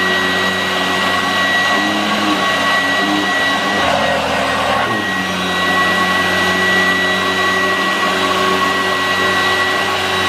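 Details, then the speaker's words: 1986 Vorwerk VK 117-1H upright vacuum cleaner running on low-pile carpet; steady motor roar with constant whine, no surging or rattles, pulling smoothly. "so yes now it's working like it's it much much better then some testing"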